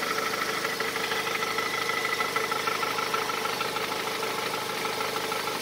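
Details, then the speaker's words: Honda CR-V 3, 2.4 VTEC, cold idle recorded from underneath: sharp regular ticking knock about three per second that lessens as engine warms; owner suspects exhaust tract or muffler. Knock at cold idle. "сейчас мотор прогревается стык становится меньше то есть явно где глушитель очень похож на выпускной тракт"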